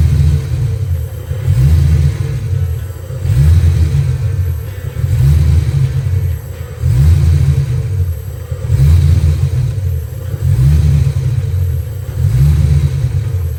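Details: Ford Mustang Foxbody V8 after swapping distributor, PIP and TFI: revs rise and fall in waves about every two seconds with lumpy uneven beat; misfire traced to a bad distributor.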